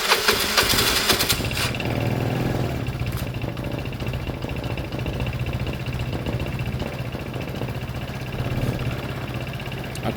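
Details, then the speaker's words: Piaggio Fly 125cc scooter, cold start: brief ragged cranking, then it catches and holds a steady, busy single-cylinder idle. It was slow to fire, probably from a low battery. "Um, it didn't fire well, but it had a low battery, didn't it?"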